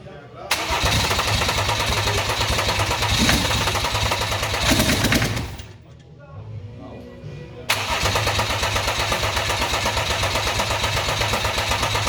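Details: BMW F11 535xd twin-turbo diesel, after catastrophic engine failure and machine-shop rebuild: starter catches quickly, engine fires and settles to an even, steady idle, then restarts just as cleanly; normal, healthy start.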